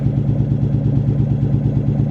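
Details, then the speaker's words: Ford Mustang SVT Cobra V8 in restoration, just after first start: steady idle with a fast, even light tick over the low rumble, from the top end only. Lifter tick, possibly lifters not yet primed (unconfirmed); valve train ticking. "But right here is where it starts sounding kind of kind of concerning. We think it might be some type of lifter tab. Well, it is a lifter tab. It's on the top end only, but we don't know if it's because it the lifters aren't priming or what."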